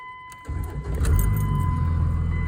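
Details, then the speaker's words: 2000 Dodge Ram 3500 5.9 Cummins 2nd gen, warm after 15-20 miles, previously hard-starting; after hooking to the radio fuse with wait-to-start light on, it fires right up. Brief crank, catches within half a second, steady low diesel idle; clean start. "she fires right up. And I've started it 4 or 5 times now, and this thing would not start like this at all."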